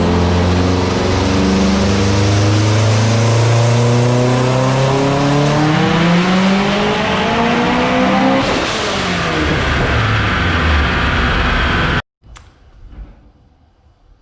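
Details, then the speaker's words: 2017 Subaru STI, PREracing built motor, Precision PTE6266 gen2 62mm turbo kit, about 820 hp on the dyno: hard pull where the turbo compressor note flattens and loads down near high rpm as the turbo overspins, risking compressor and bearing failure. "it really wants to fall off a high rpm and you can actually hear it in the note of the turbo compressor you can hear it start to load down and that's you know how you end up with compressor failure"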